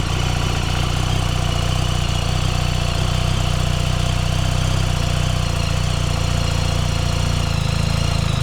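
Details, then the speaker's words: BMW R1300 GS boxer at idle, heard from the right-hand side after a dealer repair in which the valve clearances, found off after bedding in, were corrected. Deep, even beat, no rattling or metallic noise: now quiet and healthy. "and as you can hear now guys on the right hand side it's absolutely as sweet as a nut there's no rattling no metallic noises"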